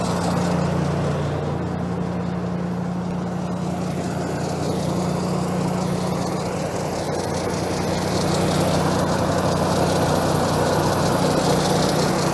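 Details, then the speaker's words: 1990 Ford F-150 4x4 plow truck, cold after heavy snow, owner suspects bad idle air control (IAC) valve: steady even idle, about 220 beats a minute, constant hum, no hunting, unlike the day before; normal cold idle. "Look at that, now it's going to idle. It wouldn't do that yesterday."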